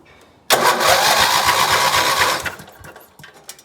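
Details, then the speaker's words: Lawn mower (two spark plugs) after spring tune-up with new battery and new spark plugs gapped to 0.035 in, having previously refused to start: the engine catches straight away and runs strong briefly, a clean quick start, much better than before. "so new battery and spark plugs let's see if it starts wow that is a lot better than it was"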